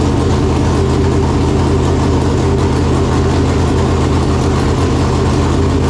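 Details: Freshly installed 568 cubic-inch big-block Chevrolet in a Chevelle with Jerico 4-speed manual, first start after install; came up to temperature well, not yet run through the gears. Heavy, steady, lumpy big-block rumble with even cadence, no tapping or knocking; normal idle.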